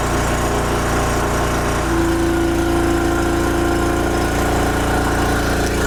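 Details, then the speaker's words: Wen Power Pro 3500 W generator revived after sitting unrun about 16 years in a shed. A steady drone deepens and settles as heavy load reaches 3,050 W at 58 Hz, then holds firm: normal running under heavy load. "Okay, that's 3,050 watts right there. 58 hertz."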